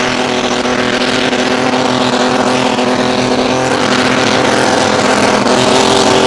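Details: Mini rod pulling tractor on a blacktop pull, struggling all season: loud engine pulling hard with a ragged, stuttering exhaust note instead of a clean roar; misfire under load, cause not yet found.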